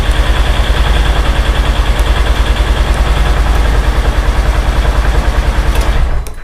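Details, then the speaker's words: Polaris Ranger with newly installed Dirty Teeth Racing remote start kit: steady even low thudding idle around two hundred beats a minute, then remote button held and engine cuts off cleanly; normal idle then shutdown. "And now to go ahead and shut the vehicle, you just do the same thing. Just hold the button down."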